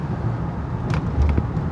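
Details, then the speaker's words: 2009 Honda Pilot, about 145,000 miles, after replacing the sway bar link that caused front-end creak and bonk: steady road rumble with only a soft thud over a bump taken fast, no creak or clunk; suspension normal. "yeah I'd say that sound is gone I don't know if you can hear it in the video I mean there was a little bit of a bonk but that's just because I hit that dip really hard normal sound"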